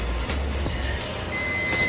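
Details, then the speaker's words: Cheerlux C9 Android projector, dead: multimeter gives a steady high beep on SR5150 diode in both directions, showing it is shorted and must be replaced. "Nah, kalau di sini bunyi ya. Nih di tes seperti ini bunyi berarti short ya. Di balik pun r-nya itu tetap short ya."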